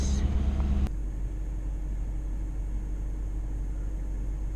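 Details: 2006 Range Rover L322 that cranked without starting, after replacement with an aftermarket fuel pump: a brief louder burst, then a low, even rumble that settles and holds; the engine idles steadily.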